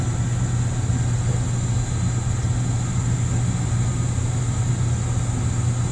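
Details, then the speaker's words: Gas water heater after PEX repipe: pre-purge then the burner fires right off into a steady, even low roar with no pops or flutter; normal burner operation. "fire right off hey and we got hot water boys and girls hot water"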